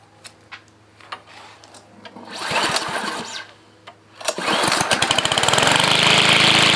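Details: BLACK+DECKER 140cc 4-cycle gas walk-behind high-wheeled string trimmer, 22-inch cut, primed three times: a few pulls and clicks, then catches and settles into steady high buzzing run; healthy.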